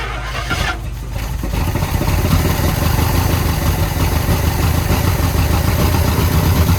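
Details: 1971 International 1210 pickup, abandoned for 30 years, on its first start with a jumped battery: it stumbles, catches, and holds a loud fast idle because the throttle cable is too short for the carburettor.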